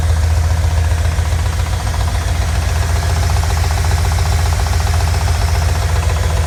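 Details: RX7 engine at idle giving a loud low rumble with a fairly regular knock of roughly two to three per second; the source of the engine knock is unclear.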